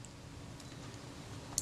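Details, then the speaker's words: Kodak Retina IIIc leaf shutter, cocked, speed ring and cam plate removed: only a faint click from the flash sync mechanism, no blade snap; shutter not releasing, blades suspected glued shut with oil. "sound and that's coming from the excuse me the flash sync mechanism but the shutter itself isn't releasing"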